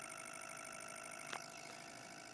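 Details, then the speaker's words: Tri-coil Bedini pulse motor on battery power, covered rotor spinning up: faint steady high buzz of rapid even pulses, one brief click; normal running, speed adjustable by potentiometer. "we're going to go ahead and put a cover over this which actually makes it run faster know if you can hear it but it's spinning up quite nicely"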